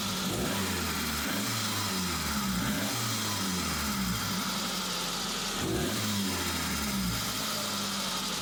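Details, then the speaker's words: Suzuki Samurai, hot engine, after replacing the fuel pressure regulator for hard warm starting and bad idle: runs smoothly, picks up cleanly through several even revs without stumble or hesitation; repair appears to have fixed it. "now let's see if it goes from the first try yes that is what we are aiming for"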